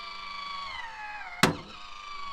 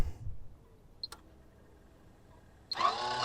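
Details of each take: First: MaxxAir roof vent fan lowering: small motor whine sags under strain, then a sharp crack as the failed lid lowering mechanism jams; loose metal pieces found inside; fan also came loose over bumps while driving; mechanism to be replaced. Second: MaxxAir roof vent fan lid motor after replacing the failed lowering mechanism (previously loose metal, loud clicking, jamming): two smooth two-second whirs with steady whine, runs normally, though lid may not open fully.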